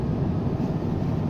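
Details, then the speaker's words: 2010 Lexus RX450h, blower motor activated through a diagnostic test at maximum speed 31. A steady, even rush of air over a low hum with no rattle or squeal, despite a climate control system error. Normal blower motor at full speed. "look it's blowing up on the full 31 speed the vents is working just perfect"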